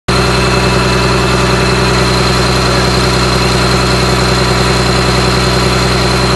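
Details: Komatsu PC300-8 excavator with SAA6D114E-3 diesel engine during overhaul; steady, even idle with a constant low drone, no knocks or misses; sounds healthy.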